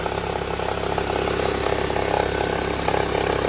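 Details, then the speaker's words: Toyota Harrier 5S-FE petrol engine at cold idle after sitting overnight: fast, uneven ticking crackle about three to four per second, fading as it warms; every morning for 4 months, timing belt checked OK, source unknown. "Вот что это за треск? Откуда он идет? И постепенно с прогревом он уменьшается, уменьшается, уменьшается."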